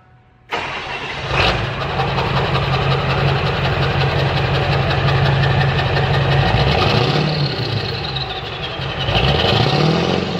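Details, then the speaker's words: Straight-piped dually diesel truck, just after fitting the new exhaust, still smoking a little on revs: fires right up into a deep, loud open-pipe idle that stays steady through light blips; idle sounds healthy. "that could be you know causing the smoke when I live it but like an idle there's nothing it's only when I read it"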